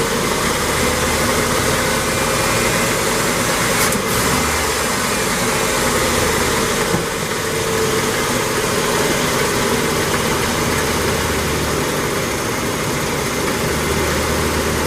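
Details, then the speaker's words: 1987 Ford F150 inline-6 EFI after replacing EGR pressure feedback sensor (DPFE) for code 32, rough idle and stalling: even idle with slight speed fluctuation, fairly smooth, no stumble; owner suspects timing needs adjustment; normal idle. "Hear a little fluctuation at the moment, but already it's one hell of a lot better than it was. Running fairly smooth."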